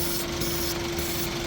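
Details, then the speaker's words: 2013 Suzuki Swift (Pakistani-market) with code P0134, engine running: a constant hiss with a thin tone underneath, an intake air leak at the PCV valve area. "तो मैं आपको दिखाता हूँ इसकी air कहाँ से leak हो रही है।"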